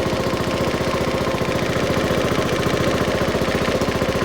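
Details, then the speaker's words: Honda Forza 125 scooter after starter-alternator replacement, first start: sharp, rapid puffing at idle, a chuff with every firing, from a hole in the exhaust; the bike is smoky and kept outdoors uncovered. "Um, exhaust's got a hole in it."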